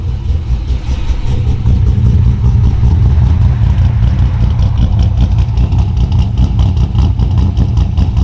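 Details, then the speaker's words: 2002 Pontiac Trans Am with a 383ci LS1 stroker, 40 psi oil pressure: a deep, steady V8 idle rising and settling smoothly with throttle, no knocks or ticks; healthy. "We'll go out here in a few minutes and get some idle clips for you and let you guys hear that thing. Try to get you guys a cold start real quick."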